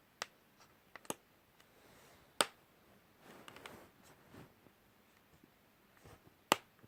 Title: MSI GV63VR chassis weird noise